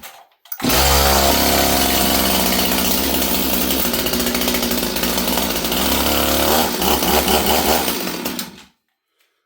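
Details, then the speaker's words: Stihl 026 chainsaw with spark but not getting fuel: catches and runs rough, popping unevenly about twice a second before dying; it won't prime and seems really rich. Cause suspected, not confirmed. "okay well so it just didn't want to Prime"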